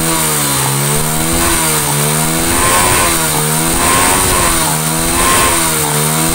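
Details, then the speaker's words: Honda Astrea Grand single, repaired for a compression leak that caused a rough cylinder-head noise when hot, revved: repeated blips climbing and falling cleanly about every 1.5 s, revving freely. Carb slightly mis-set. Normal revving. "nah ini uji pengetesan dibuat Jalan geber sampai mesin suhu bener-bener panas Apakah suaranya masih stabil seperti ini atau kasar gitu loh"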